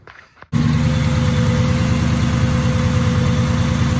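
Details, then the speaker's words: 1966 Chevrolet Bel Air with Powerglide, warmed up, after water pump replacement, idling with the accessory belt off: even idle, faint transmission whine and light lifter tick; earlier noise gone, suspected fan or water pump internals. "Huh, it's gotta be the fan or something inside the water pump, because now the noise is gone, you know, minus the whine of the power glide. And I've got a little bit of a lifter noise, but it ain't too bad."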